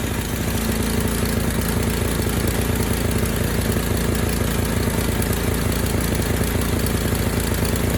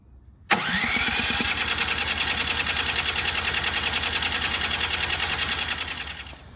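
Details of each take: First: Ariens 920021 snowblower, first start of season after draining last year's gasoline from the carb and refilling with fresh fuel, primed: steady, even single-cylinder putter at a fast idle with no misses, surging or hunting; normal running. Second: Ariens 920021 snowblower at the first start of the season after the carburetor was opened and drained: even cranking about three and a half pulses a second for six seconds with no firing. It won't start, and the owner suspects last year's stale gasoline.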